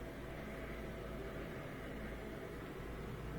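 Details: Miele dishwasher with F08 error, after repair: fill valve sprays water in, then a steady low hum with water swishing as the circulation pump runs continuously instead of cutting out every 10 seconds as before; normal circulation pump operation.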